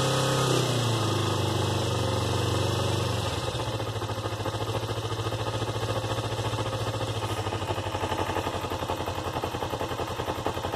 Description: Does that knock at idle sound bad or is it normal for these bikes I know the idle is set high any helpful comments would be appreciated